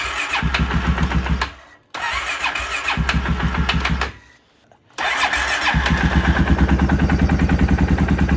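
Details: Modified 2016 Polaris Sportsman 570 with the HMF exhaust refitted, black plug and decent spark: several cranking bursts with uneven firing and two stalls, then it starts and idles roughly without throttle, no engine knocks heard; hard starting, cause not confirmed.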